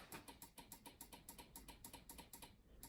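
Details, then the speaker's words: Vauxhall Corsa D after head gasket job, won't start: quiet, rapid, even clicking three or four times a second at the key with no cranking; owner suspects a missing or bad earth, possibly ECU, as scanner can't reach engine module. "Corsa, I'm missing an earth somewhere because it's clicking, so the starter works."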